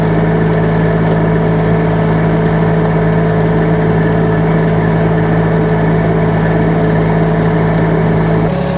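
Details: UHI UME12 mini excavator with 13 hp Yanmar diesel, tracking at full throttle: steady, even drone held at high revs with no misses, knocks or rattles; healthy engine.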